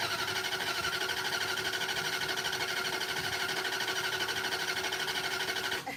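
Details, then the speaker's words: Mopar with fast mini starter and wrong battery, freshly installed carburettor: fast even cranking about three beats a second, never firing; no fuel reaching the carburettor, probably out of fuel. "Doesn't sound like you're going anywhere with that. Those Mopar mini starters are no joke. You hear how fast that mini starter cranks that thing over?"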